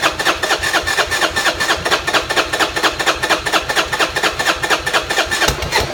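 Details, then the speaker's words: Buell Blast, before a manual choke cable was fitted (auto enricher not working): the starter cranks steadily at about two compression pulses a second but never catches; it won't start without a choke or starter fluid. "Okay, again, I want to show that this bike won't start unless it's got either an auto choke or a spritz of engine starter fluid."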